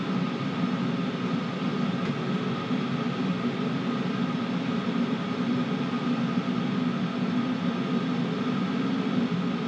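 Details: Cheap Chinese 5 kW 12V diesel air heater on first test run, exhaust pipe not yet fitted: smooth steady roar with low rumble, no surging or sputtering; burning cleanly at full output, warmer than the house furnace.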